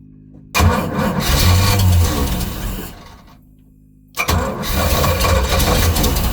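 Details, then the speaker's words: Volvo Penta 454 marine engine after swapping in an HEI distributor: labored, uneven cranking that stalls and restarts without running cleanly, because the ignition timing was advanced too far. "Sounds like it's out. I won't be surprised. No, she's out of timing."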